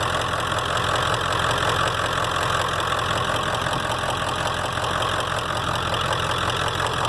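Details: 1995 Ford F350 7.3 Powerstroke diesel right after power steering pump replacement and belt reinstallation: steady, even idle clatter about two to three beats a second, no whine or groan from the pump; runs healthy.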